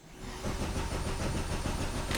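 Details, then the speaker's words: Audi Quattro after fuel pump replacement and new 300 PSI 1/4 in fuel hose: starter cranks steadily but engine never fires; owner says the car floods easily, pump keeps adding fuel; crank no start. "Nothing. We're just going to keep trying. This car gets flooded pretty easily."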